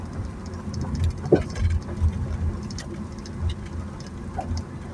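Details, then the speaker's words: Honda Mobilio driven over uneven road after front brake service and new HEIKER stabilizer link replacement: only dull road thumps and tire rumble, no clunks or rattles; the earlier occasional odd underbody noises on bad roads are much improved, now quiet. "Baik, di jalan yang kurang rata suara dari bawah ya yang semula ada bunyi, ada bunyi-bunyi aneh ya meskipun kemarin itu belum begitu sering timbul atau muncul baru beberapa ketika lewat jalan yang kurang baik tapi alhamdulillah ini sudah jauh lebih baik ya senyap"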